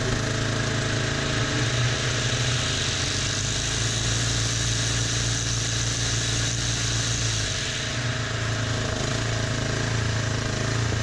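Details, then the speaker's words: Abused DR Trimmer TR-1 with Kawasaki single-cylinder, after draining oil-like fuel from carburetor: steady drone at hand-held throttle with whirring cutter head, no misses or surging; smoked briefly, now running perfectly; belt tensioner still needs adjusting. "Smoked a little bit, no big deal, and now it's running perfect. So here you can see the head spinning up."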